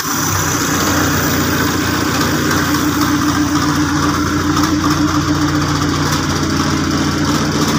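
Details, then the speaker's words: Custom Suzuki Jimny engine running with exhaust pipe removed during build: harsh, loud, uneven idle with a raw barking unmuffled exhaust note; larger exhaust tip to be fitted later. "ini suaranya agak berisik karena di bagian dari e nalpotnya masih kita lepas nanti kita proses lagi kita pasang moncong nalpot yang agak gedean lah seperti ini"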